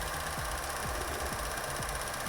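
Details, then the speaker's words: 2016 Chevy Cruze 1.4L with code P0496: light regular tick about twice a second over idle; stethoscope cleared the injectors, traced to a faulty canister purge valve. "so now you can hear this clicking noise coming out of this area somewhere so first of all I was thinking about injectors which is located down here there's four on this engine"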